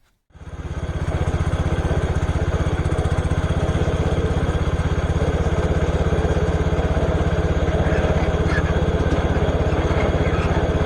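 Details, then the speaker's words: Case IH K-84 Snowcaster on garden tractor, test after repair: engine starts and settles into steady even putter, auger spins fine, no knocks or grinding, quiet; normal running, though a part hits exhaust when raised. "Nice. So yeah, it spins fine. Everything sounds good. It doesn't really make a lot of noise."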